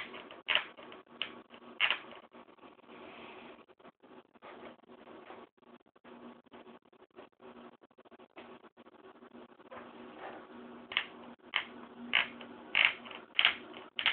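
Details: 15" MacBook Pro with Retina, warmed up: irregular sharp ticks and creaks, one or two a second, over faint fan hum; intermittent case creaking and clicking, case suspected of brushing the fan, called normal.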